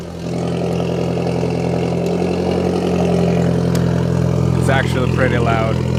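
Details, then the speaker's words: Car raised in the air, cold start right after fitting an ISR Performance Series II EP single-tip exhaust: loud, steady droning idle with no ticking or puffing; owner hopes the loudness is a cold-start thing; no exhaust leaks. "I'm just hoping this is like a cold start thing and it all go down because this would mean that muffler actually did a lot well this is sound like it hasn't any exhaust leaks"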